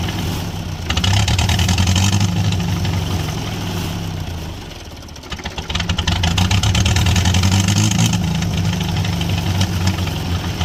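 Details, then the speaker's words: International Harvester B275 diesel, ether-started: roars up hard, sags briefly, then surges back to high revs and stays there, a runaway; traced to the injection pump shutoff rod not pulling back fully. "we went ahead got that to turn over and start uh but then it kind of ran away from us"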